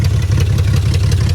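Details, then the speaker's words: $200 salvage BMW 325xi E46, all-wheel drive, with no cats: a loud, deep, uneven rumble with ragged pulses at idle, running rough with a raw fuel smell; the cause is not determined. "Hey, man, it runs, though. It runs. It does. It may not be running very well, but it runs."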